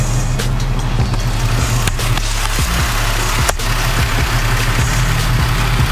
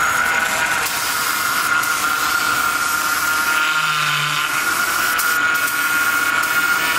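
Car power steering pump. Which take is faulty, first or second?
second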